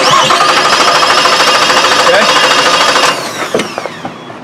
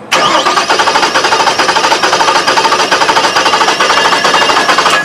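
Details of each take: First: 2006 Suzuki Forenza with a weak spark from one waste-spark coil, cranked with the engine disabled: an even, steady chug about three beats a second, showing good compression in all cylinders. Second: Engine cranking with engine disabled from starting: starter at about two beats per second with a limping, uneven rhythm as one cylinder has no compression.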